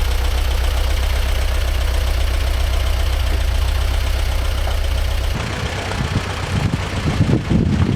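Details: 1945/1946 Allis Chalmers Model B tractor, magneto ignition, barn-stored about 20 years, after dirt was cleared so fuel could get through: deep, steady low thump at an even pace; the engine runs smooth and sound.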